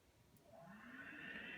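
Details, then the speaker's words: HVAC blower motor before repair, switched on: loud jet-airplane-like roar with high whining tone rising as the motor spins up; worn bearings. "sounds like a jet airplane so I know how to fix that"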